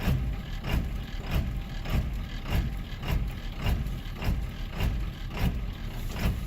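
Deep diesel idle that pulses and lumps roughly every half second instead of settling smooth; rough running just after a cold start. Cause suspected, not confirmed.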